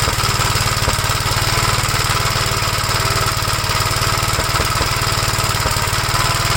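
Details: 1956 Gravely L still running rough with the carburetor from a 1957 LI swapped on, choked, bell crank changed for the governor rod. Uneven, choppy single-cylinder thump at about three beats a second over a rattle. Owner suspects a governor over-rev damaged the head gasket or something else.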